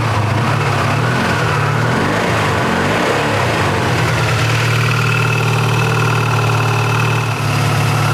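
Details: 1984 Honda VF500F Interceptor after valve adjustment and carburetor revival, started on choke: a brief uneven start settles into a steady, even low burble with no misses or stumbles, a normal idle.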